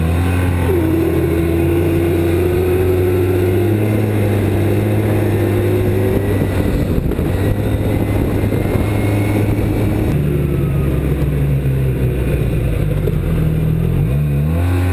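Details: 2007 Arctic Cat Z1 snowmobile running: wavering squeal from the drive belt above the low engine drone; belt squeal, cause unknown.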